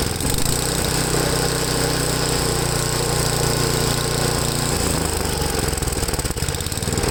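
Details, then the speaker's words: Ariens 8HP Tecumseh engine on new replacement carburetor after mixture adjustment: uneven idle, speed hunting up and down; idle surging remains, owner says these engines always surge idling while full throttle is fine. "okay so i haven't adjusted the best that i can no matter what carburetor you use these things always have a surge when i when it's idling as long as uh full throttle is fine that's the important thing on this"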